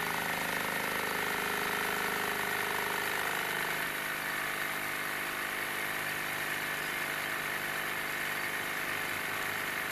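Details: Wilesco D-18 tabletop steam engine running outdoors in a back garden: steady steam hiss with fast, soft, even chuffing that stays smooth as the throttle is eased back; normal healthy running.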